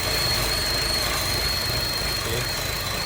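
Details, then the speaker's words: 2011 Chevy at idle: thin, steady high squeal, likely from a bad valve cover gasket or broken piece leaking air. "You hear the squeaky sound? Once you take that off, what's causing that? Squeaky sound. This comes out. Why? It's probably because you have a bad gasket."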